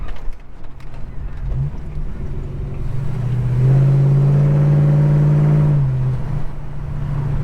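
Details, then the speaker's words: Holden HK V8, deep throbbing idle swelling into a strong rev near six seconds and dropping back smoothly, no knocks or misses; healthy meaty exhaust, crossover pipe still fitted, extractors not yet. "Oh yeah, even the neighbours give me a wave. The new neighbours, they give me a wave, because it's just got that beautiful, deep, meaty sound to it."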